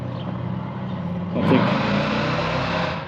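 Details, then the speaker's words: 1978 Chevy C10 big-block with a rebuilt, long-stored carburetor, second throttle hit: idles, revs up sharply and smoothly with no stumble, settles evenly; carb responding cleanly, owners still plan fresh plugs and leaner jets. "o that sounded good get try again real quick already spinning"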